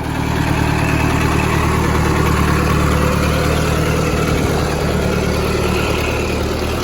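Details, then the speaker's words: 1964 Ford 2000 tractor after replacing its 50-plus-year-old carburetor and oil change, on a very weak battery: loud, steady low idle about three beats a second, no misses, knocks or hunting; running fine. "So she is back running. Got to put another battery in it. The battery was real weak, but she is running."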